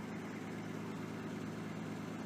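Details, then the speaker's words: Datsun 280ZX after fixing the corroded cylinder 1 fuel injector harness connector with a bad seal and missing clip that caused a misfire: quiet, steady idle with an even hum and no misses; normal idle. "Well, as I'm sure you can hear, it's running nice and smooth now."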